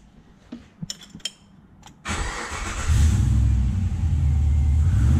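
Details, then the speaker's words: Nissan Patrol with swapped 6-litre Chevrolet L98 V8, new engine-bay loom, after plugging in the throttle pedal; a few clicks, cranks, catches at once and settles into a strong even deep idle, starting and running properly. "It goes vroom vroom now."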